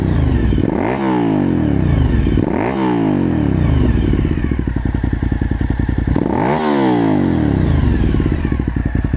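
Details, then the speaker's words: Suzuki SV1000S V-twin just after installing a Danmoto JISU muffler: three quick throttle blips climb and drop cleanly between a deep, lumpy idle, crisp and even, throaty exhaust; owner is happy with the sound. "So that's what it sounds like, and you can hear a little bit of it going down the road too. Pretty happy with it, it sounds good."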